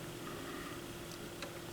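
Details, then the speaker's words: Technics SL 220 turntable after routine repair: a few light, crisp clicks over a quiet hum as the arm lifts and returns at the stop; auto-return mechanism cycling normally. "Make sure it stops, returns. I hear it clicking. That's good."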